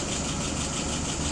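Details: Restored WO 636SA carburetor on a test engine, float level set to 3/8 inch, vacuum 23: a short burst of smooth, even petrol idle with no stumble or misfire. Clean running after adjustment.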